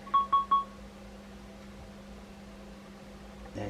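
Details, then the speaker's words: Kitsound Slam 2 Bluetooth speaker after repair and reassembly: three short mid-pitched beeps about a fifth of a second apart, then near silence; low-battery warning, the battery is dead and needs charging. "you go, that's the battery's dead, see, so it does need charging."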